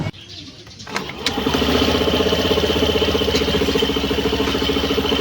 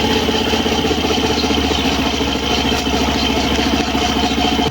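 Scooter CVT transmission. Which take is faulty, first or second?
second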